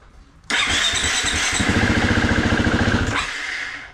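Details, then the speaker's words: 2019 Husqvarna FE350 after storage and an oil change, stone-cold start: engine catches and revs with an even fast beat for about three seconds, then fades and dies; engine stalls right after starting, cause not yet found. "Oh, it just died. That's not good. That's kind of new."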